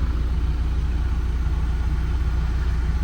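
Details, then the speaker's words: Auction vehicle at idle with the check engine light on, cause unknown: low, even exhaust purr with a steady pulse and no knocks or misses; engine running good, normal idle. "And as you can hear that exhaust purring, the engine's running good."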